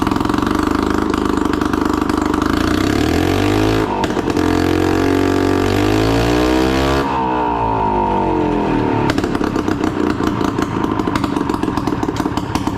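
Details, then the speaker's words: Yamaha G1 golf cart two-stroke engine, first start after a full rebuild, exhaust not yet fitted: a loud, open, raspy note rising and falling with throttle, firing cleanly and revving freely; healthy. "I cranked it up once I got fuel to it and she fires right"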